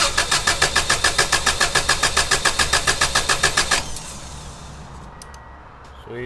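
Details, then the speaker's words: 1994 Subaru Legacy Touring wagon, EJ22T, 341k miles, never rebuilt, compression test with injectors unplugged, gauge in cylinder four plug hole: even cranking about 3.5 beats a second, strokes equal; still perfect compression. "okay so that's number four so after 340 1,500 miles it's still got perfect compression"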